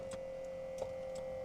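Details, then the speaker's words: Old diesel P38 Range Rover, driver's door mirror with ignition on via a possibly faulty center switch panel: sharp clicks about three a second over a faint hum, motor trying but glass not moving; owner suspects it's seized, plans lubricant. "clicking but it doesn't seem to be moving so perhaps it's a bit seized up or something I'll spray some uh lubricant down the back hope that gets into the right place"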